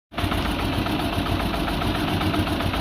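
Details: Peugeot 206 1.6 16V TU5JP4 engine shaking abnormally at idle: uneven, shaky idle with irregular thumps and stumbles over the steady note, pointing to a misfire; cause unknown, diagnostic under way.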